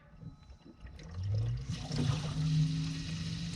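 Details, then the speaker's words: Jacuzzi hot tub that flashed an FL-1 code with no heat, newly installed circulation pump just powered on after a click: the hum builds and holds steady while water gurgles and trickles through; running fine, still purging some trapped air. "can watch the water flow. Might take a second. Still got a little air in it."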